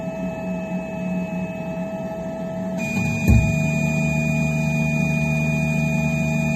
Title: Phrozen Sonic Mini 4k - Loud popping sound